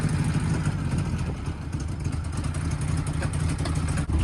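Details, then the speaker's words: Chevrolet S10 pickup idling: deep, uneven idle that lopes and stumbles irregularly like a big race camshaft, yet runs weak; rough running that appeared suddenly, cause still being diagnosed. "kenny's s10 has evidently caught covet or something i don't know what happened to this thing but one day he pulled in and it sounded like he had put a top fuel camshaft in this thing but it doesn't run like it's got top fuel engine"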